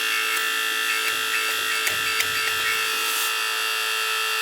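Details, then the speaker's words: Old gas boiler's heating circulator pump: steady, high whistling squeal over a faint hum heard throughout the house; noise stopped when the circulator's neutral was disconnected, confirming worn circulator bearings; pump to be replaced. "Yes, I could feel it. It's the circulator. We got pressure in the boiler."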